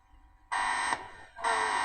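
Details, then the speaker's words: Howard Model 45 radio: a loud steady buzz cuts in for about half a second twice when the loose tone control knob is touched; source unknown, suspected interference from something in the house. "You wonder what that buzzing noise is? It's something to do uh with something I got on in the house. I'm not sure what. It happens all the time."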